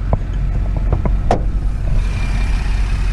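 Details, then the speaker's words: 2010 Camaro V6 manual with 110,000 miles and original exhaust, heard at idle under the hood. The idle is a steady, quiet, smooth hum with no ticks or knocks. "No real noises to speak of. That's a quiet engine, smooth running."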